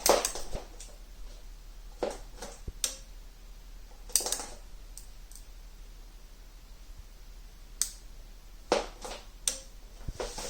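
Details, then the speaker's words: Turbosound NuQ powered speaker amplifier plate, switching-mode power supply under repair: sharp irregular snaps and crackles every second or two right after power-up with a visible spark; solder then reflowed. Arcing suspected. "What is this sound I'm hearing? Just seen some kind of a spark in here."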